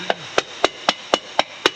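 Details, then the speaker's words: R33.4 part with a crack ground out and drilled at each end; seven quick hammer taps, each a short dead clack with no lingering ring, locating the crack plain as day: cracked component, dull tap-test ring. "yeah that's where the crack is can hear it plain as day"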